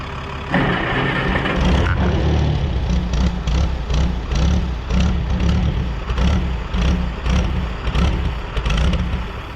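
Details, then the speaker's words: 1960–63 International Cub Lo-Boy tractor sitting 10+ years: on starting fluid it fires with ragged, uneven surges, barely running. Compression is good; a fuel supply problem is suspected, with new plugs and draining the old tank planned. "You saw it has compression, it runs off the starting fluid, so we know that's good"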